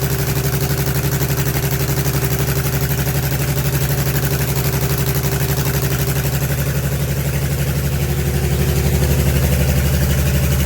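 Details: Allis Chalmers HD20 crawler, GM 6-110 two-stroke diesel, after 15 years sitting, blower rebuilt, full-flow filters, worn exhaust manifold/muffler: steady, even beat at fast idle, deep low rumble, no knocks or misses; runs smoothly.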